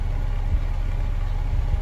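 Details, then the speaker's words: Honda City on CNG, previously stalling on gas, after injector flush and replacing one leaking injector: revs drop and settle into smooth, even low idle without stumbling; normal idle after repair. "ยังตอนนี้ก็ไม่มีความโดดดันแล้วเครื่องก็นิ่มแล้ว"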